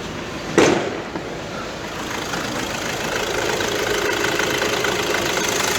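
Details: Car with 7-speed DSG gearbox, cold start then idle, engine bay open: loose metallic rattle and shaking from worn dual-mass flywheel, worse on cold mornings; flywheel replacement planned, play to be checked once gearbox removed.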